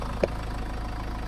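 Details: Short, steady low idle after a radiator and coolant job, with the system being bled and the heater blowers on max while checking for leaks. The blower rushes over it with one tiny tick; the engine runs smooth and even.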